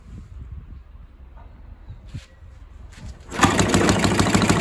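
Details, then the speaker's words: Villiers petrol engine on an old Barford cement mixer, run without choke: it catches and settles into an even, rapid single-cylinder beat and sounds healthy. Compression is not excellent, and fuel runs through even with the tap off. "oh that's running that's good that's the stars you can hear that running maybe one of the easiest engines i've ever come across i wouldn't say the compression's excellent on it"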